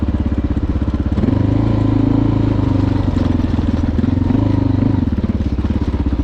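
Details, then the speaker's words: Honda XR650L after camshaft swap removing the sticking faulty decompressor that caused clicking: cold start on choke, even single-cylinder thump with short revs, no ticking; faint low gear whir when cold, believed to be the crankshaft gear. "oh well doesn't that sound beautiful this noise down here goes away all these bikes make you when they're cold that's uh i believe the crankshaft gear is down there making some"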